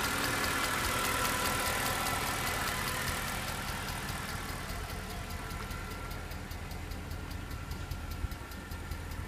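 V8 idling with a light, quick tick about four per second riding over the exhaust; a fast valvetrain-type tick of unknown origin.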